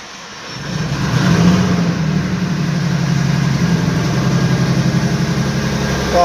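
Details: Jaguar F-Type V6 petrol, after fixing random cylinder 1 and 3 misfires, fuel rail pressure sensor over-fueling, and clearing codes: starts, flares briefly, then settles into a smooth, steady idle with an even low beat; normal idle.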